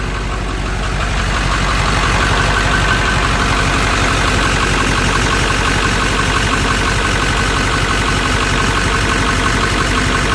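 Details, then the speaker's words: Ford F350 7.3 diesel after fresh oil change: steady, even idle with regular low clatter, no misses or odd knocks; noticeably quieter than before the oil change, normal idle. "Now, you'll say I'm crazy, but definitely sounds a lot better. It's a lot quieter. These 73's are loud to begin with, but it is definitely much quieter with fresh high end oil in it."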